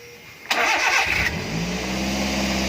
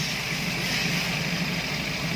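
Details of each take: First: Daihatsu Gran Max, fully warmed engine: starts after short crank and holds a fast, steady idle that won't drop. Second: Daihatsu Gran Max after fixing high idle that would not drop: steady, even idle with smooth low hum, no misses or knocks, estimated around 800–900 rpm; engine idling normally.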